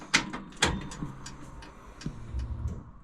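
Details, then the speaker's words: Barn-stored Chevrolet Nomad being rebuilt with a V8 swap, key on without starting, just after the rear fuel line was tightened: a couple of clicks, then a low steady hum for about two seconds as the fuel pump pressurizes the full lines; normal priming, though a leak remained. "all right so I can hear that the pump is pressurized lines are full"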